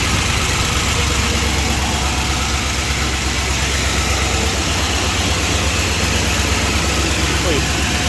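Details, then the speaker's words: 1978 Chrysler Newport V8 just revived after fuel pump replacement, idling: light quick tick at engine speed, lifter chatter; oil level full but suspected old and thick. "lifter chatter. Huh? Better check the oil, I guess."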